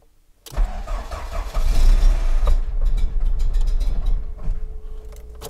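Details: VW Corrado G60 engine, first cold start of the day after many parts changed: catches and settles into a steady idle with a light quick tick over it; owner points to a collapsed hydraulic lifter, to check next.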